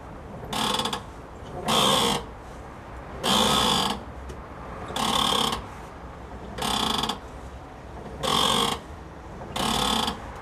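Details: Wheels in the air, manual steering rack turned by hand: notchy, ratcheting bursts about every second and a half, stopping between turns; worn strut top mount bearings confirmed, replacement next.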